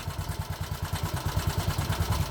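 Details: 2020 Bajaj Boxer X150 motorcycle at idle before repair: a heavy uneven thumping of about nine beats a second with clattery knocks, and the bike shakes violently. Tappets or timing chain were suspected first; opening the engine found a worn piston rubbing the cylinder walls.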